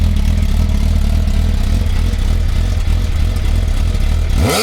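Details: 2001 Suzuki GSX-R1000 K1 on MOT day: steady even idle pulse with no knocks, then a quick clean rev climbing and falling smoothly; normal running.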